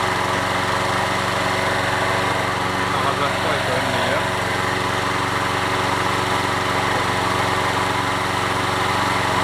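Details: Toro 20789 mower, worn Briggs & Stratton Intek engine: steady buzzy run without misses or surging after a slightly hesitant restart; restarts more easily, normal running.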